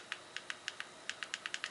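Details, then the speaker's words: LG MR25GA Magic Remote after select button disassembly and repair: about a dozen crisp, consistent clicks in under two seconds, button clicking normally again, though scrolling remains poor. "it's clicking normally."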